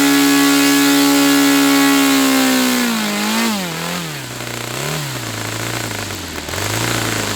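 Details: Saito FA-300T twin-cylinder glow engine, glow driver off, needle set 2.5 turns out, with a sticky throttle linkage. A steady, high buzzing drone sags and climbs with the throttle, both cylinders firing evenly: normal running.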